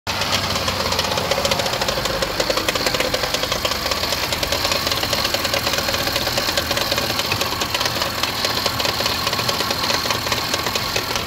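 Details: 2015 Range Rover Sport SE 3.0 supercharged at idle during warranty inspection: sharp, rapid knocking over a steady engine note; source hard to pin down, supercharger suspected but unconfirmed, needs more checking.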